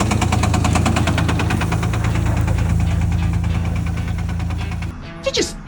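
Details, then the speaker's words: 1989 Toyota FJ62 Land Cruiser, 3FE engine at 350,000 miles, driven with a bad knock for about 50,000 miles: heavy, fast knocking under a rough low note, then the engine dies; engine failed and was swapped. "that's the sound of a 1989 fj62 giving up on life after 3 50,000 Mi yep she had a real bad knock but I just kept driving her probably for the last 50,000 mil"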